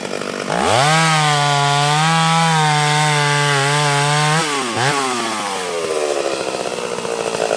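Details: Freshly ported Stihl 031 AV two-stroke chainsaw, 150 psi compression: crisp high-revving scream holds steady in the cut, dips and recovers cleanly; pulling hard, sounds like brand new; normal under load.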